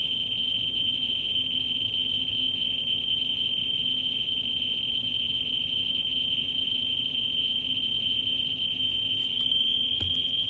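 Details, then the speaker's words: Ludlum 14C with a Ludlum 44-3 gamma scintillator probe close to a smoke detector's americium source: a steady high-pitched buzz near 3 kHz with clicks too fast to separate, the counter saturated at about 120,000 counts per minute. "we see that it flattens out at about 120,000 counts per minute and you can hear it seeing eautifully"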